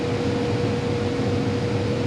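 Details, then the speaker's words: Condo furnace blower after tightening loose screws, changing the filter and sealing an air leak with foil tape, previously loud: smooth constant airflow rush with steady low hum, no buzzing or rattling; normal blower operation. "but it's a lot better now"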